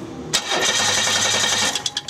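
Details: 1992 Chevy Lumina 3.1 with a no-start, cranked by remote starter with an amp probe on the injector wire: fast, even cranking for about a second and a half without catching; injector current test confirms shorted fuel injectors, fix is replacing them.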